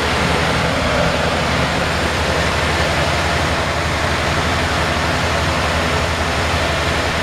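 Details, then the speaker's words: 1951 Ford F1 engine at idle, just adjusted and now sitting slightly high: a low, steady, even rumble with no knocks or misses; a very quiet, clean, normal idle. "this is one of the quietest engines it's so quiet and it's clean"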